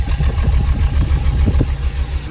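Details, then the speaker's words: VW Jetta running rough, idling after coils swapped: lumpy stumbling idle, misfire stays on cylinder two; spark plugs look bad, cracked plug porcelain suspected as cause. "Okay, it still looks like it's misfiring on two. 1 3 4 two. It's dropping out bad on two."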